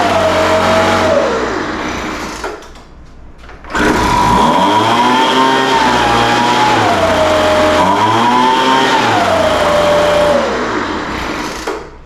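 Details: Craftsman 200mph two-stroke leaf blower revived after sitting for an unknown time, following carburetor work: it buzzes steadily, pitch rising and dipping as the throttle is worked, then settles even; runs properly, though the high-speed mixture was somewhat erratic.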